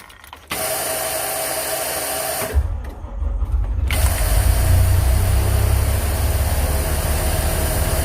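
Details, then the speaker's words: 1999 Thomas school bus with a diesel engine and air brakes, recorded from the driver's seat: a steady buzz over the cranking and low idle. It was first thought to be a low air-pressure warning but is the open emergency door alarm. "that buzzing noise is where I opened up the emergency door so that was emergency budget right"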